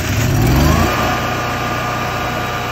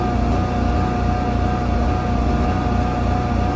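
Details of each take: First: 2008 Kohler 12RES 12,000 W generator with 380 hours, previously surging and backfiring from loose carburetor bolts sucking air, after tightening them: catches with a brief rev, then an even, steady drone with no surging; it runs smooth. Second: 2008 Kohler 12RES 12 kW generator with 380 hours, before the fix: a steady drone whose pitch slowly wavers up and down before cutting off. It is surging, with backfire, from air drawn in at extremely loose carburetor bolts.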